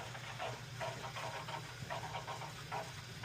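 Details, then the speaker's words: Weil-McLain WM97+ condensing gas boiler, fired up after servicing for high pressure and a leaking relief valve: soft hiss with small bubbling trickles about twice a second in the piping; air still trapped despite purging. "Sounds like we got a bunch of air in there even though we purged from there."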